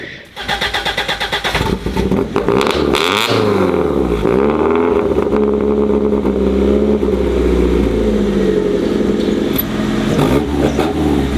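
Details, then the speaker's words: BMW with exhaust valve partially open: engine starts and revs, then settles into steady deep drone with moderate rasp; normal exhaust note, judged best-sounding valve setting. "And I can like partially open the valve. So it's like instead of being fully closed or fully open, it's kind of like this right now. >> Yeah. >> I think that sounds the best."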